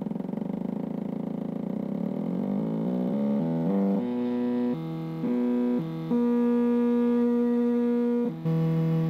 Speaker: let's start with the 4988 driver you can hear that the steps are quite coarse with the motor turning slowly